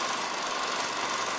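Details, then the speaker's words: Bell & Howell 1500-2500 series autoload 16mm projector after worm gear and drive belt replacement, with the transmission gears freshly greased. Running in reverse with a smooth, even whir and hiss, no clicks or grinding; runs cleanly. "And one thing I do, you see these down in here, those are gear reduction gears. They only operate when it's in rewind."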